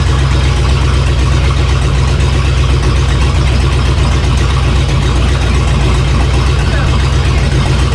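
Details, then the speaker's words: Ford 351 (5.8 L) V8 with Holley EFI freshly swapped into a 2003 Mercedes C-Class estate, first running after install. Loud, deep, even rumble holding steady, no misses or knocks; idling smoothly, described as running happily. "right so there you go guys the 351 is in the zombie running happy as larry and i can tell you this thing sounds so savage unbelievable in person"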